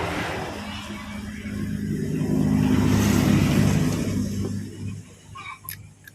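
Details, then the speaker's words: Yamaha Mio Sporty scooter, broke down, spark and compression confirmed: electric starter churns the engine about four turns a second without catching; fuel tank found dry, cranks but won't start from running out of fuel. "the tank is dry, bro, look at the oil, it's dry, it's cracking. okay, there's a possibility that because the fuel has run out, how will it start if there's no fuel, bro, okay?"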